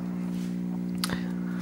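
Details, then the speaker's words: Ms. Pac-Man arcade machine after a PCB edge connector repair with a new fingerboard: steady low electrical buzz at power-on; a bad connection in the wiring harness is suspected. "so when I turn it on there's a quite the audible hum I turn it on so let's turn it on and I'm not sure if you guys can hear that but it sounds like a buzzing noise"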